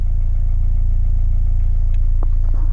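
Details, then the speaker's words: Honda Integra GSR, turbo, with a wideband sensor wired into the ECU, at idle; air-fuel ratio about 14.7 and matching the gauge; steady, even low rumble with no misses, knocks or hunting; idles smoothly. "we can see that the air fuel ratio is right where it should be right around 14-7 and idle and you can see it correspond on the gauge as well so those match up great"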